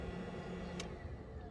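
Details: 2010 Audi Q7, right-hand drive, engine off: low, steady whirring fan hum from the passenger-side left wheel arch, cut off by a click when the 20 A fuse is pulled; auxiliary heater stuck on, draining the battery overnight.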